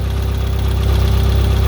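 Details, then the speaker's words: Nissan 240SX S14 SR20DET first start after rebuild, idling: fast even light ticking rattle from the head over steady idle; owner suspects lifters though they were bled; oil pressure good. "rattles in the head yeah [Music] it could be those lifters i bled them well"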